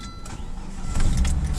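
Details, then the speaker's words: 1998 Volvo V70 T5 at about 514,518 miles, started to idle 15 minutes with Liquid Moly engine flush added to the oil; catches quickly and settles into an even low rumble with no ticking, knocking or unusual noises. "And as you can hear, the engine's not making any unusual noises whatsoever."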